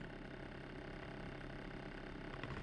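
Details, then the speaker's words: New Alpicool T50 dual-zone 12V fridge cooling down after unboxing: fairly loud, constant whirring drone with a low hum under it. Owner would find it annoying if it always sounds like this and hopes it wasn't damaged; cause unclear. "kind of annoying if that's what it sounds like at all times but we'll see we'll give you updates"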